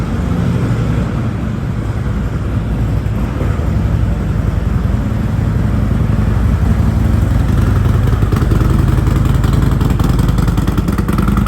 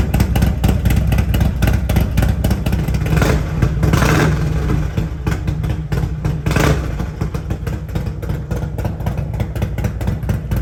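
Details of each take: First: Harley-Davidson Road Glide 114 just after an S&S 475C cam install, still on the stock base map with no tuning: a loping, uneven idle at about 210 beats a minute that stumbles and surges; it needs tuning. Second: Harley-Davidson Road Glide at Stage 2 with an S&S 475C cam chest, after professional tuning to 114 hp, with TAB Performance exhaust: a deep, choppy uneven idle lope with two sharp throttle blips; healthy.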